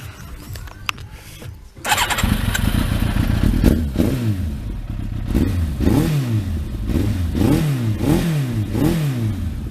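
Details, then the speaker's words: Thunderace motorcycle, 40,000 miles, being reassembled for MOT, just started with exhaust fitted and blipped about once a second; loose tinny rattle over engine; owner suspects something loose, unconfirmed. "Although it does sound a little bit rattly. So I don't know if there's something loose in there, but anyway."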